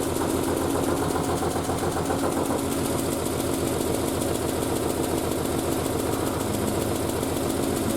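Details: Triumph Spitfire after a single-carb conversion, off choke after about 1.5 minutes of running, exhaust wrap still steaming. Even, steady idle with a slight tapping knock that is the bonnet flapping, not the engine; the engine runs fine.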